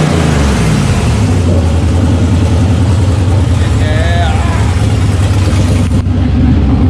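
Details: LS1 V8 truck running after wrong firing order corrected, following fire damage and over-fueling issues with a new regulator fitted: deep, even burble with clean, smooth revs, no misfire or stumble; normal idle and revs on all eight cylinders.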